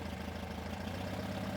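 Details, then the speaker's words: 1971 VW Super Beetle, fresh 1800cc stroker engine on break-in run, 38EGAS carburetor: idle mixture screws turned in until the engine starts to stumble, giving a lumpy, uneven lean idle with small speed dips. "We first set the idle mixture screws to the best lean idle by turning the mixture screws in until the engine starts to stumble."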